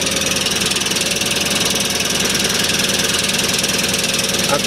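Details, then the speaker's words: Toyota 4Runner V8 at idle: a steady, thin whine holds one pitch over an even idle. It seems louder toward the bottom of the vehicle; the source is unknown. "so if anyone know might know what that noise might be it sounds like it's more louder towards at the bottom of the car"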